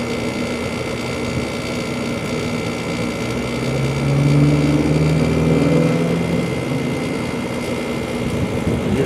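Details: 2-ton through-wall General Electric garage AC, believed from 2002, first startup of 2020 on a warm day: compressor kicks on with a rising hum and loose fast rattle about four per second that fades; typical for this unit.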